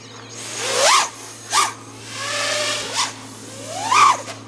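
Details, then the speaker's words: Aokfly RV2306 2400kv motors on a light quad still running the tune from the previous 2205 2500kv motors: bursts swell and fade and the whine wobbles in pitch; PID oscillation from a non-optimal tune. "it sounds like I'm having quite a bit of oscillation I'm just using the same tune that I had on the 2005 motors so the teens certainly not optimal"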